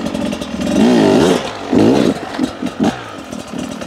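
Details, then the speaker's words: Beta 250 two-stroke on stock jetting, throttle input over a concrete obstacle: revs climb in wavering surges and blip unevenly, giving uneven power delivery; jetting change planned. "even that input there as I kind of pivoted over that concrete ballast you could hear it's almost a uneven increase or an uneven Ascent of power"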